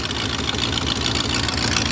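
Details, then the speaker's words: 2000 BMW E39 540i M62B44TU V8, long-sitting after half-finished timing job, first start on jump box, check engine light on: steady idle with loud hiss and fast puffing from front of engine; suspected exhaust manifold leak or missing gaskets. "I don't know what the hell that noise is though it sounds like there's exhaust coming from the front of the engine that's really weird"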